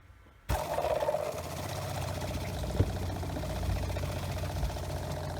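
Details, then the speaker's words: Motorhome habitation water pump, newly installed, on caravan battery: silence, then steady low drone with faint rattle while priming and purging air; much quieter than the old pump, waiting for pressure to build so it stops. "Well, I'm quite pleased that pump is much quieter than the old one. I'm just waiting for it to build up enough pressure so it stops."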